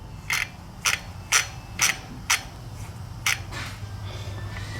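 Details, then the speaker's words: Heavily used KTM dirt bike, rear wheel turning: sharp rough clicks about twice a second, tapering off; badly worn rear wheel bearings. "i don't know if i've ever had wheel bearings do that make that noise"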